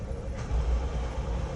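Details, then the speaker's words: Suzuki Cultus gearbox; steady engine rumble with rough grumbling noise as clutch is pressed and gear engaged; abnormal gearbox noise on gear engagement, cause not identified. "तो जी ये कल्टस आई है, इसमें एक नया प्रॉब्लम है, वो ये है कि जैसे ही हम क्लच प्रेस करके इसको गियर लगाने लगते हैं तो एक बड़ा अजीब सा साउंड आता है, सुनिएगा।"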